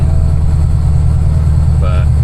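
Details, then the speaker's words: Dodge Dakota with a 426 Whipple-supercharged Hemi, driving gently on a newly installed rear gear set during break-in: a steady drone of exhaust and road noise through the back panel, with no gear whine. The diff sounds good and drives like stock. "gear noise is gone we just have to drive like a granny for a while to let this gear set break in actually sounds good so yeah Drive is just like stock you guys"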